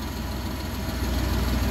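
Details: Suzuki Multicab F6A small petrol engine idling smooth and steady with no misses or knocks after a crank-no-start repair; shorted old fuel pump was blowing the ignition coil fuse, fuel pump replaced, now runs normally.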